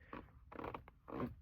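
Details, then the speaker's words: 2025 Toyota Camry XSE at about 20k miles: dry scraping creaks come and go as an elbow presses on the door armrest; interior trim creak. "So say for example I'm driving and I put my elbow on here, it'll creak a little."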